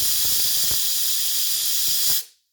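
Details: Six or eight quart stovetop pressure cooker, burner off and pulled aside after about an hour of cooking, pressure released slowly: strong, steady hiss of steam venting for about two seconds, then cutting off cleanly.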